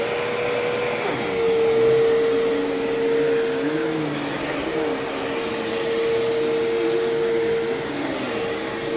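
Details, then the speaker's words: Used Bissell PowerLifter Pet Swivel upright vacuum, acquired in a trade and used at a volunteer site. Its motor gives an even, steady mid-pitched whine with a constant airflow hiss and no grinding or wavering; the owner believes it has plenty of life left. Normal motor running. "I'm going to uh fire this thing up. I'm going to run it for a little bit and you can hear just the how the motor sounds."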